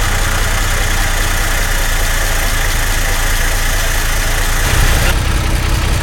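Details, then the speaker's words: Truck back on the road after sitting almost 15 years: steady deep idle that roughens and won't pick up as throttle comes in, blowing back; owner suspects timing; stumble on throttle. "Yeah. I don't know, it's like it won't take any fuel."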